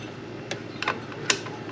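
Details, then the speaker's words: Mercury 15 hp outboard after the lower unit was installed, shift check before running: shaft spun by hand in forward gear gives crisp separate clicks about half a second apart, with clean lock into gear and neutral, normal gear engagement click. "as you can see i'm locked into gear and then i'm in neutral as i shift it as and as i'm spinning it as i'm pushing it you can hear it click"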